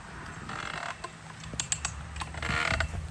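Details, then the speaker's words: Composite auger ratcheted into a reinforced gravel layer under body weight: loud, irregular creaks and groans with each pull, showing heavy strain under load. "You can hear that thing creaking down in there. The amount of stress that they're putting on that getting into that reinforced layer of gravel underneath."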